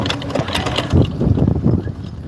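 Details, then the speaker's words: Generator that blew up mid-use: each pull spins over fast and light with an even whir and no compression stroke resistance; engine has lost compression. "okay, it just free pulls, dude. Anybody know what this means with a generator? It just pulls and there's nothing."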